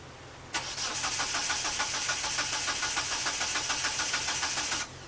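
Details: 1997 Eclipse GSX, jump-started on a partly charged battery; fuel pump now running with fuel pressure and return flow, sometimes fires. Steady starter cranking about three and a half beats a second, then silence, never catching: crank-no-start, cause not found; timing suspected.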